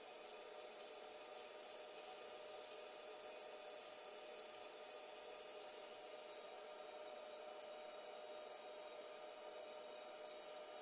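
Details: Sony DHR-1000B DV video recorder, first power-up after repair on 220 V: steady, even cooling-fan whoosh with faint fixed hum tones; the hard disk bearings stay quiet, the fan louder than the disk, a normal healthy run.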